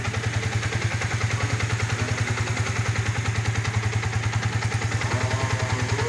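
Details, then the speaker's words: Yamaha Vixion idling after a newly installed NPP cylinder block; owner reports no clicking noise and smooth acceleration. Even, steady, rhythmic firing thump, smoother than before, no ticking or clatter, healthy. "Suaranya juga lebih halus sekarang. Ini adalah ciri khas Vixion, seperti ini , teman-teman. Suara berirama."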